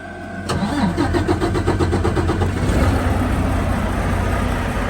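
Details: Volvo diesel truck after replacing old batteries drained overnight, heater on; brisk, even cranking at about four turns a second for two seconds, then catches and settles into steady idle; normal start.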